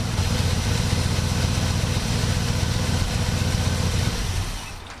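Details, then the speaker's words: 1967 Buick GS340 at cold start: a low, uneven, stumbling idle of about four pulses a second. The owner blames the ignition system, and faulty points were later found and replaced. The remanufactured carburetor's idle circuit was also flowing poorly. "Cold start time. This thing is just not happy with that ignition system. It's alright. We'll take care of that freaking problem."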